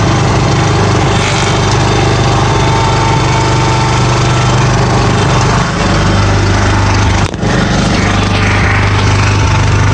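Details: John Deere 300 hydrostatic tractor, engine at full RPM, hydro lever moved forward: rough gritty grind over the engine, worse uphill or pushing into snow, drives fine both directions; suspected driveshaft/driveline grinding under load.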